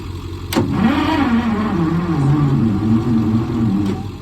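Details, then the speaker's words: Michigan 35A wheel loader with Continental six-cylinder gas engine, sitting for years, on jump box or jumper cables: sluggish, dragging starter churn too slow to fire; something suspected drawing it down, cable straight to starter barely faster. "still sounds like something's drawing down on it or something so now we're going to try and hook the cables right to the starter to see if it spins over a little faster"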